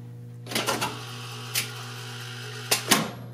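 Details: 1970 Wurlitzer 3400-series jukebox selecting records A1, C1 etc.: low mains hum under whirring, sharp mechanical clicks and a final clunk as the selector stops; normal selection cycle.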